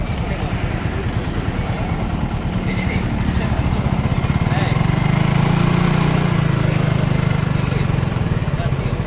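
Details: Hero Glamour motorcycle after piston ring fitting, engine sound problem solved; even single-cylinder thump picking up slightly midway, no tapping or rattling; normal running.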